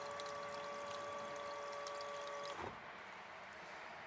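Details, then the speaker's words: Triumph T100 Bonneville (0 miles, long stored) fuel pump bench-run: a steady high whine with fuel pouring for about 2.5 s, then a clean stop; the pump runs smooth and even. "So that wants to be coming out of the black side. Yeah. That looks like it's going to be fine, that pump."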